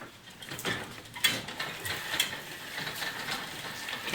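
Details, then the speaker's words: McLane mower chain drive, apparently never lubed, before oiling with motor oil: light irregular clicking, ratcheting and squeaking as the chain turns; dry drive chain. "i need to uh give it a good lube as you can see and here it squeaks quite a bit"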